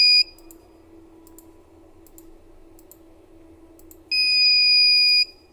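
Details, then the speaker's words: Panasonic DVR alarm: loud high-pitched beeps in steady one-second bursts over a quiet hum, triggered because no hard disk is fitted and the network is disconnected. "ये देखिए नौ hard disk लिखा हुआ है इसमें hard disk नहीं है और net disconnect है तो इसका बीप साउंड आता है"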